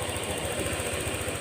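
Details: Honda Click 125 scooter at 160,000 km, after crankshaft/connecting rod replacement, seat refitted: quick, even putter with a steady low thump and no knocking or clatter; normal idle.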